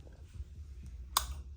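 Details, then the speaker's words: Yaesu FL-7000 linear amplifier, suspected lightning damage, protect board disconnected: one sharp relay click at switch-on over low hum, then nothing; the amplifier otherwise stays dead. "yeah, there's one little relay clicking on there, and that's it."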